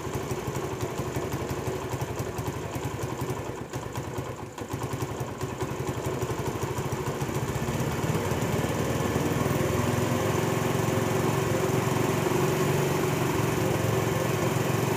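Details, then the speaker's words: Honda CD70 motorcycle just after its carburetor was fitted: single-cylinder putter runs fast and steady without hunting or surging; idle rpm is high and will be turned down during carburetor setting. "जी तो दोस्तों यह जब motor bike का carburettor fit किया जाता है तो accelerator जो है उसकी हाई होती है हम इसकी पहले आरपीएम स्लो करेंगे"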